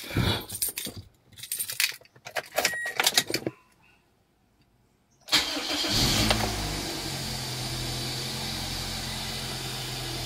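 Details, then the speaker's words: Toyota Altis after a new ignition coil and spark plugs fixed its misfire and rough idle; the engine cranks and settles into an even, steady idle with the aircon on and no misfire. "na panatag na siya okay aircon ayun na Ayos na mga kalab panatag ng andar"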